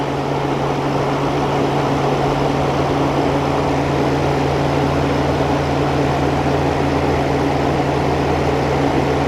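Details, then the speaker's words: New old stock 1988 Sears Kenmore 6000 BTU R22 window air conditioner, run after a year unused: steady low hum, constant fan whoosh, no knocks; compressor and fan running normally. "the compressor start already hear the refrigerant flowing good old r22"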